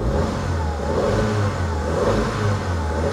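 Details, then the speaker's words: Ford Fiesta Ghia part-exchange car fired up; engine picks up cleanly, rises and falls smoothly through a couple of blips, no stumble or belt noises; normal revving. "Let's fire it up. Sounds good. No belt noises or anything like that."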